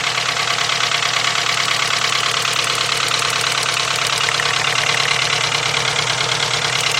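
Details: VW 2.0 engine running rough after a fuel pump change, plug wires 1 and 2 crossed: rough idle with an uneven, regular stumble about three times a second; misfire stays on cylinder 1, so not the plug wire.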